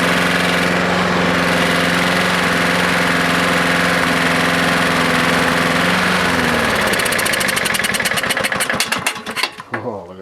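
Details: Husqvarna lawnmower engine after about an hour running, smoking heavily; rough uneven running with a repeated knock, labouring down to a stop; owner suspects a bad connecting rod with a lot of slap.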